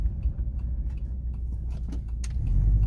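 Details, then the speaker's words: Subaru Forester boxer engine just fitted with welded-in unequal-length headers; a tiny leak remains from one missing bolt. Deep, loose, lumpy soupy rumble with an uneven burble and no knocks or ticks: a healthy boxer rumble. "see she gives us that soupy Rumble just a little bit easier oh yeah definitely"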